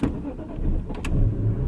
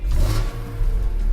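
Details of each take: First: 2002 BMW M3 E46 straight six, about 100,000 km, warm: catches and fires, sags briefly just after catching, then picks up to idle; hesitant start, owner unsure whether it is nothing, slightly dirty spark plugs, or the engine map. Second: 2002 BMW M3 E46 straight six, about 100,000 km, vanos revised, fully warmed up with oil and water at temperature: free revs climb and fall cleanly with a hard, characteristic metallic rasp, smooth and even; normal.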